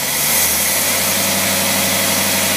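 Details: Rebuilt Tyler Motorcraft single-barrel carburetor tested on a running engine: even steady hum with constant low tone and hiss, no misses, surging or hesitation; carburetor running properly.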